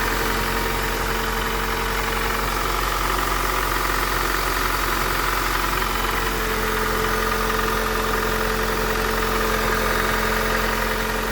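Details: Honda Accord 8 engine idling with a steady, fairly even knock about four per second. It knocks when cold, lessens as it warms, and is still heard at 2000–3000 rpm. Valves adjusted 15,000 km ago, 5W-30 oil. Origin unknown.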